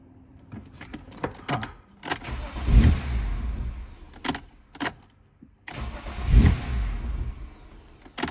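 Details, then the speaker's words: 1998 BMW E36 M3 with a long-standing hot no-start, after fitting a new genuine cam sensor: two short cranking bursts sputter, catch roughly and die. Same behaviour as before, sounding like a big vacuum leak. "same exact behavior that sounded like a big vacuum leak"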